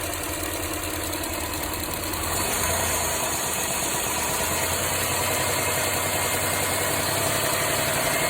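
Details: Mitsubishi Montero Sport, 6G72 engine: idle with a light, fairly regular tapping knock, intermittent and more frequent as revs rise. Oil pressure is stable and there is no smoke; the owner wonders whether it is a hydraulic lifter, piston pin or bearing.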